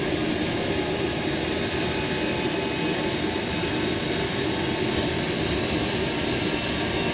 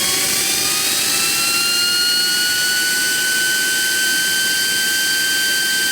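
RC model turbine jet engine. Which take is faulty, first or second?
second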